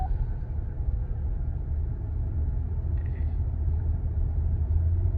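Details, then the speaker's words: 2019 GMC Sierra, 145,000 miles, driving: steady deep roar from the front passenger side under hard braking, not felt in pedal; suspected worn front wheel hub bearing. "that it's a roaring noise. I don't know. So I think it's going to be that bearing."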